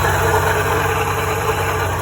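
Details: Porsche 944 at idle on a hot day, before an alternator replacement; the owner blames a loud alternator with charging around 12 V, sometimes dipping to 11. A heavy, chugging, train-like drone with a low rumble, labelled as AC compressor noise at idle.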